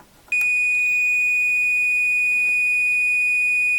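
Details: Ms. Pac-Man Cabaret arcade board: continuity check from chip 8E pin 14 to ground gives a steady beep, meter reading about 20 ohms; a partial short that makes the machine read the down switch as always pressed.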